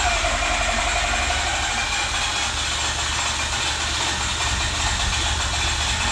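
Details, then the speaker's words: Mazda RX-8 freshly rebuilt and reinstalled rotary engine, first start after a deflood procedure: fast, buzzy, even hum with no misfire or stumbling; normal idle. "Yes. Yay! The RX-8 is alive once again. I'm really excited."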